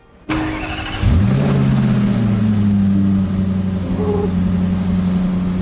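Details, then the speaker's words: 2021 Range Rover SVR salvage rebuild, first start after repairing a holed engine block, exhaust still disconnected; cranks, catches within a second and settles into a smooth, even idle, fan running, no knocks or misses: normal start and idle. "Parece de boa, muito de boa. Ventilador ligado. Acho que tá funcionando."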